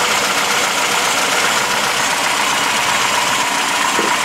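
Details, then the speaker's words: Classic VAZ (Lada) at idle: steady harsh scraping grind traced to the alternator by touching a stick to it; the owner suspects the alternator bearings or something else and says it needs checking. "Вот это издаёт шум генератор можно вот такою палочкой просто прислонить к фонт или к генератору и будет отчётливо слиш откудова идёт этот звук именно этот звук идёт от генератора видимо там или подшипники или ещё"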